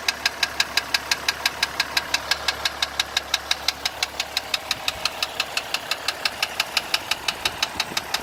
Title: 2015 Jeep Grand Cherokee Diesel Engine Knocking